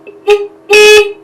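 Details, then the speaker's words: Honda CB900 during electrical checks, before turning the engine over: horn gives two steady, buzzy mid-pitched blasts, one short and one longer, both full and clear; horn working normally. "While we are waiting for the coil to do its thing, I checked my lights, and I didn't check my horn. Let's try it."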